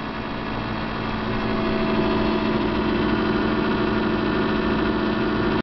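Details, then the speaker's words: GE 48-inch stainless fridge made in 2000, coils cleaned. The top unit kicks on when the freezer closes with a steady loud vibrating hum and stops when it opens, several times a day. Source unconfirmed; owner suspects a fan touching something. "When I close the freezer, it kicks on. And it has a loud vibration hum."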